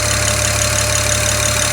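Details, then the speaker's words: BMW 335i (owner notes same issue on 135/535) at warm-up idle: sharp light ticking about six per second keeping time with the engine, lifter-like but traced by mechanic's stethoscope to an excessively loud number 6 fuel injector. "can you hear that ticking it's getting less quiet or less loud now because the engine's warming up but yeah do you hear it there it is"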